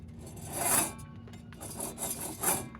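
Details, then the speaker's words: 2005 Chevrolet Silverado wheel hub turned by hand: rough dry rasping swelling and fading from a worn aftermarket wheel bearing, about 5 years old; wobble also triggers the brake pad squeal tabs. "If you get to your wheel bearing hub assembly and it makes noises like that and wobbles, that means your uh wheel bearing is bad."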